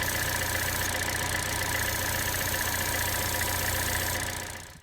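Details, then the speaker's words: Chevy Trax / Cruze / Buick Encore with code P0171 bank 1 lean, idling: constant airy hiss over steady idle from air sucked through a leaking hole in the PCV diaphragm atop the valve cover; fix is valve cover replacement. "so there's a little hole right here on top of this diaphragm that starts to leak so what we're gonna do is start the vehicle up and see if we can hear it"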